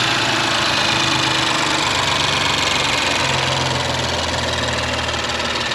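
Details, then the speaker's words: Audi S4 B9 3.0T after precautionary rocker arm replacement with new oil filter and about 7 L of oil, first start: steady, even idle with no knocks, ticks or rattles; engine sounds healthy. "the engine came with no noise and is leaving without any noise so to us it's absolutely fantastic"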